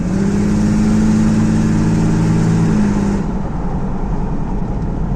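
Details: Mercedes W124 OM606 diesel, automatic, straight-through exhaust, pulling away in Drive between buildings: deep chuffing knock tracking engine speed about three a second, fading off load, with heavy smoke under throttle, from an exhaust leak at the cracked turbo manifold pipe.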